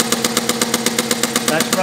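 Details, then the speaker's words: Inverted hit-and-miss engine on compressed air, dump-valve intake, running straight four-stroke wide open at about 100 psi: quick, even exhaust puffs about eight a second, no misses or hiss; normal running. "wide open on about 100 lb pressure of air slow it down a little bit"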